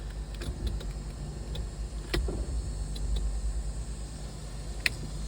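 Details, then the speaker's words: Barn-find Bertone X1/9: low electric whirring with a few mechanical clicks as the pop-up headlights swing up; motor operating. "Oh, they work. Look, they work. Kind of, sort of. They kind of work. They're a little droopy."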